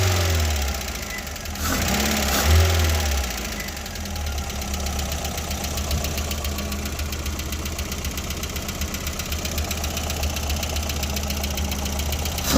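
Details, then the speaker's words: VW Golf Mk1 on the first start after a first-ever home engine rebuild, left idling to warm up. Light fast ticking of about four per second is tappet noise, hoped to fade at temperature; it becomes less aggressive. A separate alternator belt noise needs belt tightening. "Now I'm just gonna let the car warm up and hope that when the car gets to temperature, the tapping noise will be gone."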